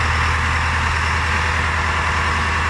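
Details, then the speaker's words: Wagner W4 with a Detroit Diesel 4-53 two-stroke, barely kept at a semi-idle after failing in transport: slow deep low-revving rumble instead of the busy revving sound it should have; cause unknown. "But it don't. It really sounds like a low revving engine. Something's not right."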